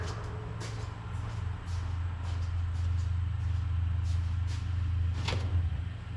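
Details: Ford SVT Lightning V8 pickup, engine cold just after start, untuned: deep rumble running slightly uneven with wavering pulses, only on cold start, not under throttle; owner wonders if tune-related, maybe burning a little oil; rough cold start.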